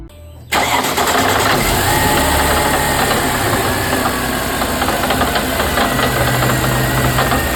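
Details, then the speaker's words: 2002 Mercedes-Benz C32 AMG with a supercharger making no boost. An irregular knock is heard when lifting off the throttle, and restarting clears it until boost is attempted. It persists with the stock pulley and tune restored; the owner suspects the bearing or clutch. "And you don't really hear that knocking sound until you let go of the throttle, and then you just hear it and it sounds terrible."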